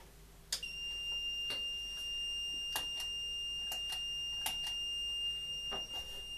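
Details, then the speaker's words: Faulty 1000 W 12 V battery inverter, previously working, owner suspects overload, on a battery: steady high-pitched tone without break with a few clicks; continuous alarm, and a plugged-in light gets no output. "so it's going beep as you can hear so i've just got this light here"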